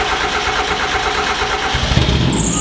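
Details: Miata-engine-swapped Datsun roadster with stock fuel pump, first start in over a year, possibly on bad gas; cranking gives way to the engine catching and settling into a steady, even idle. Normal start.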